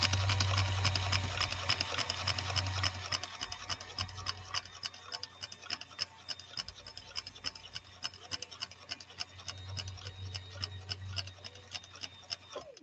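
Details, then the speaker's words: 1965 Viking Husqvarna 2000 sewing machine stitching in slow gear; light, evenly spaced ticks about three per second, no rubbing or clatter. Normal running in slow gear. "all right again give a listen to this machine this is the wonder of swedish engineering with this slow gear giving you so much control even i can steer this pretty straight with that slow gear here we go"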